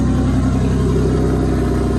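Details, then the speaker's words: 1995 Toyota Supra IndyCar pace car (one of 5), driving after a new fuel cell bladder, clean fuel and restored fuel pressure: smooth, steady engine note with no misses or hunting. Runs well, quieter than before; earlier it started poorly cold, probably from low fuel pressure. "It's running so good. and like it's even more quiet under here now than before. I guess it's happier with clean fuel and full fuel pressure."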